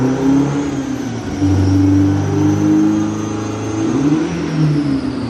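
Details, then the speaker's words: Toyota MR2 on the dyno during a ram-air pull in fourth gear: engine pulling hard, then revs flare and drop as it jumps out of gear. Owner suspects the water pipe and earth lead tangling in the gear selector. "oh no jumped out of gear oh i don't know if you could hear that but the car was jumping out fourth gear when i was trying to do the second pull"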